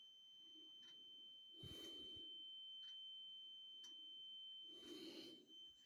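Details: Carbon monoxide alarm sounding at 01:45 as a constant high-pitched tone heard from the back hallway; it was later found to be a small cellphone-sized box on the floor. Thin, steady, unbroken tone over a quiet room; cause not established.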